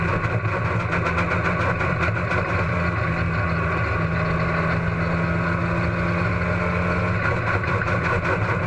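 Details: Race car engine at Huntsville Speedway: loud lumpy idle with a choppy, uneven beat and no smooth rhythm; engine misfire.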